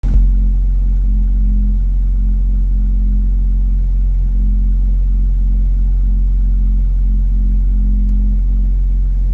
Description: Turn the volume up to hear humming sound. You will hear it come and go, as it stops when I push the accelerator down 1 cm but not rev'ing the motor.